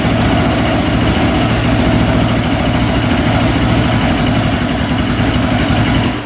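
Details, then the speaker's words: Newly traded ATV jump-started on a dead battery with choke on: loud, uneven, lumpy two-stroke running that dies away. It is very hard to start and needs choke. Cause unknown; owner plans to check whether it is eating coolant. "all right yeah you can kind of hear it no how are you doing something a little rough um it definitely needs to choke out to even be close to starting so it's really really hard starting and um yeah it's not sounding the greatest"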